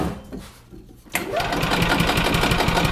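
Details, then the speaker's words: 1996 Yamaha G14 gas golf cart, crank no start after sitting over winter, spark confirmed: steady starter chugging at about four beats a second with choke and full throttle, never catching. No fuel delivery. "so we give it a little bit of choke buried the throttle so we know that didn't fix the problem so we know that we still have uh no fuel issue now"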